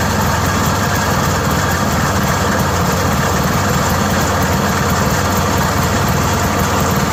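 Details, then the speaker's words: Yamaha G1 golf cart after repair using a repair manual: steady, even engine drone with no knocks, misses or surging; running smoothly and much better than before. "I promise you that sounds a lot better than it did and it worked."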